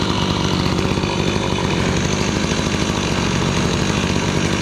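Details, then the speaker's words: Gas-powered Razor dune buggy, single-cylinder, idling after ignition coil gap and magnet reset, muffler cooler: fast, even putter with steady exhaust, no misses or rattles; healthy, though possibly running rich. "Still sounds good and healthy."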